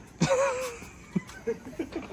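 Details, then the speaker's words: Floor jack being pumped while lifting a car during a Subaru STI engine install; short high squeaks and chirps with each pump stroke, a noise it didn't make before; jack squeals under load, cause unknown. "who's squealing like that was that the Jack or was that me that's the Jack"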